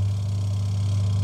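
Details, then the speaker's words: Top-load washing machine with timer on: only a steady electric motor hum, no churning, pulsator not turning. "Sound तो आ रहा है लेकिन इसके चक्के नहीं घूम रहा। एक बार देखिए, ये इसकी आवाज आ रहा है लेकिन चक्का नहीं घूम रहा।"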